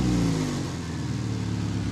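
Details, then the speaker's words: 1999 Subaru, first start after engine install, no coolant, assembly lube burning off with slight smoke: engine revs then settles to a raspy, puffing idle with loud blowy exhaust note; major exhaust leak at the clamped, wrapped center pipe. "It definitely has an exhaust leak. Oh yeah, major exhaust leak."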